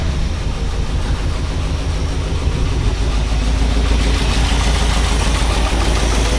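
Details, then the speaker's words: 1978 Ford F-150 with 460 V8 idling rough: lumpy, uneven idle with recurring stumble and a lot of air puffing out the exhaust; misfire traced to a worn flat cam lobe. "we've got a miss and it's and it sounds like there's a big air a bunch of air coming out the exhaust"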